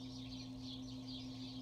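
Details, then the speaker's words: Old Bronson exhaust fan (International Oil Burner Co., Universal Electric motor, likely 1960s or earlier), cabinet dusted and motor oiled; steady low electrical hum at low speed, birds audible, starting up better than before; cause of hum unknown. "yeah we guys has a bit of a humming noise I don't know if you can hear over the birds"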